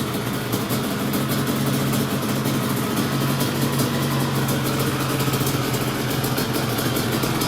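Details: Restored Yamaha Banshee two-stroke twin quad after first round of rebuild, before further mods: even, crackly idle with steady low burble and no misses; healthy.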